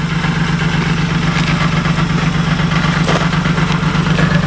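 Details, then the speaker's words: Car at idle after a front end swap, heard from the rear; loud steady idle with a regular metallic rattle about 160 times a minute underneath, the resonator muffler has collapsed inside. "i haven't i hear a little like rattle oh wait turn it back on i want to hear it real quick [Applause] sounds sick back here [ __ ] it boy this remuffle has collapsed listen to that"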